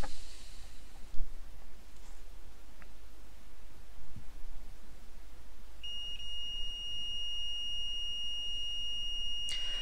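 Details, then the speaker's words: PS4 CUH-1200 board with no disc feed, being checked with a multimeter in continuity mode at the drive-board fuses. There is a steady high beep showing continuity across all three fuses checked, so they are intact. "I you can hear that that's one dropping so we've got continuity across all three of those fuses"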